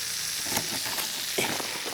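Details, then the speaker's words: Backyard drip irrigation system with water on, searching for what sounds like two leaks: steady high hiss of water escaping under pressure with handling noise; source turns out to be a bubbler spraying excessive flow. "sounds like I I'm hearing two leaks and I'm not sure where they're at"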